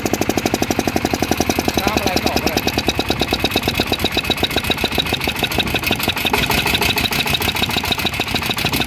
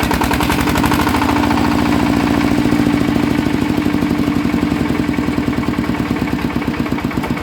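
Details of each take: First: Yanmar 160 single-cylinder diesel idling after rebuild with new bearings: it starts easily and gives a crisp, regular thump, tight and even with no rattle or bearing knock. Bearings quiet; healthy. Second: Yanmar 160 engine with a rhythmic noise: a heavy knock at every turn, about 3.5 per second, slowing as it winds down; the bearing is dead and loose, spinning in its housing; worn engine bearings.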